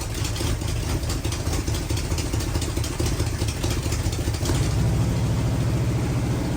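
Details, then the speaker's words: Rat bus V8, first start, gas poured in, choke wired half shut, no coolant, throttle set high, timing not yet set: loud, deep, lumpy V8 rumble running steadily; choke was the issue; normal running. "That's it. Gosh, dang it. Choke was the issue. Holy crap. That sucker's loud."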